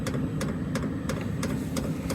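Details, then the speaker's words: Diesel heater installed in a 2012 Ford E250 van, running on setting eight and warming up: sharp regular fuel pump ticks about three per second over steady low blower rumble; normal operation. "hear the fuel pump clicking there so she's getting pretty warm now so that's not bad at all"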